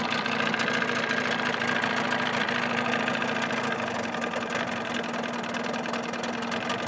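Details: 1979 Evinrude 35hp two-stroke outboard running under its hood with sound-deadening insulation, about 83 dB: a rapid, even buzz holding steady and easing off slightly toward the end, with no knocks or misfires; running normally.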